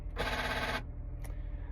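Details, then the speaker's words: 2007 Honda CR-V right rear door: sharp rattling buzz about half a second on pressing lock or unlock, then a faint click, from the door panel; failing door lock actuator, replaced. "what it is is the door loock actor going bad anytime you push the lock or unlock you can hear it coming from the door panel"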